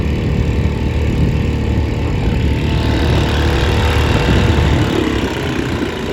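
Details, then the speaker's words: 1938 Bendix Eclipse SMD 2.25 hp single-cylinder antique outboard, saved from scrap: steady low putter firing evenly, no knocks or misses; not a powerhouse but runs pretty well, though it sounds barely enough compression. Normal running. "so you can see it's not a Powerhouse but it runs pretty well"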